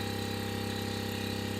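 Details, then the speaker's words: On-board air compressor for an off-road Ford F-150, bench-tested on a different battery clamped directly, drawing a consistent 23 A while filling the tank: even motor hum with steady piston pulse, sluggish and low-pitched; pressure rising slowly; low supply voltage. "It's definitely going up. It's not in a huge hurry, but it's going up."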